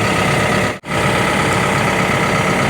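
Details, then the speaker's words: CAT 313 excavator diesel at operating temperature, set to idle for oil sampling during its 1000-hour service. Steady, even, smooth low rumble with no knocks or misses: normal idle. "it's already up to operating temperature when we brought it up here now I just got to get it set to idle and then I'll show you what we do next"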